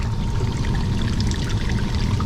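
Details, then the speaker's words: York four-pipe fan coil unit (two heating, two cooling pipes): steady heavy splashing and trickling as hot, steaming water leaks around the drip pans and everywhere. The water can't be shut off, so no repair yet. "that's so so bad and it's hot water I feel it's steaming right now"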